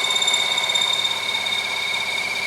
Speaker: And you only need a little bit, but just real little cuts. You can see it, when it starts to cut, it'll start throwing flags.